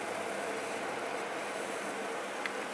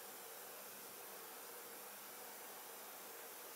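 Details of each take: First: EVGA RTX 2060 Black Gaming graphics card under in-game load on its default fan profile: loud steady fan rush with a faint electrical buzz of coil whine from sizzling capacitors. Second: EVGA RTX 2060 Black Gaming graphics card idling in a water-cooled PC: very faint even fan hiss, no rattle, whine or buzz; normal quiet idle.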